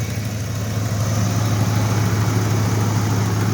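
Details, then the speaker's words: 2004 Dodge Durango with 300,000 miles, warm idle just after startup; steady low rumble with a faint puffing tick from an exhaust leak, no lifter noise or knock, never misses a beat. "here you can hear the there you can hear the exhaust leak that it has but other than that this thing runs like a champ never misses a bee"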